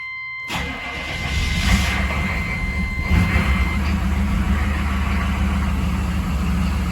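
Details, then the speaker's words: 6.5 diesel with a fuel problem making it run out of fuel and die; slow labored crank before catching, then uneven idle; hard starting, owner suspects air in the fuel line, still some hesitation. "all right so it's having a hard time still that's not a good sign"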